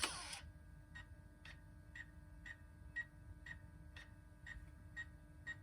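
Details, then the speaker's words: 2003 Toyota 4Runner V8 during 4WD actuator (Aisin SAT-003) replacement: selecting center diff lock gives a steady dash beep, about two a second, warning that the actuator is stuck. "All right, here goes center diff lock. And it's stuck. When you hear that beeping, it means it's stuck."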